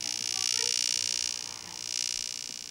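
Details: Steady high-pitched electrical buzz with a faint pulsing swell, heard standing near a plasma TV's Y-sustain board; the normal hum its sustain board puts out.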